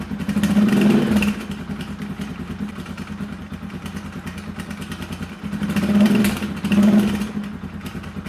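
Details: Rusi Classic 250 single-cylinder motorcycle with aftermarket exhaust, too loud at certain RPMs: deep loud bark on each blip after fitting a silencer (dB killer) insert, which does little to quiet it. Loud aftermarket exhaust.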